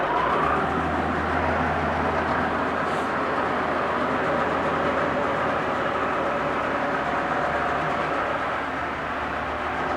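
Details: 1996 Force 40hp two-stroke outboard, 20-inch long shaft, 145 psi compression on both cylinders, new plugs, impeller and fuel filter, cleaned fuel system: steady, even drone at constant speed with no misses, knocks or surging; normal running.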